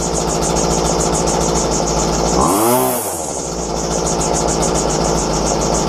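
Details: Dumped McCulloch two-stroke strimmer, fixed by replacing its fuel lines and restarted after cooling down: a crisp, steady buzz at an even idle speed without stumbles or surging. It runs healthy.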